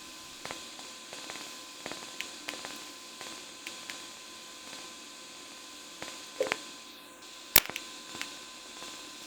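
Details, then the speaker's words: Harbor Freight Vulcan 165 TIG welder: over a faint steady arc buzz, sharp little ticks come every half second or so as the arc current ramps up and down fast. The output jumps an amp or two in steps, though slow pedal control stays smooth. "if you listen closely as the ark ramps up and down fast you hear ticking that's the ark actually jumping like an amp or two"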